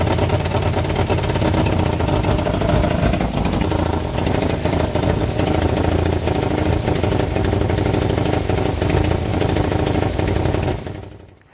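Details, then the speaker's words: Nissan 240SX S14 after head gasket and timing chain replacement: uneven lumpy idle with wavering revs; running rough but better, ECU possibly relearning, timing only roughly set, timing and brake issues remain. "As you saw, we actually got the car running. Uh, it's not running perfect yet, but it's definitely better than it was."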